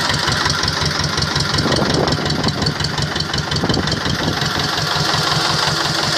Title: Трактор т 25 после ремонта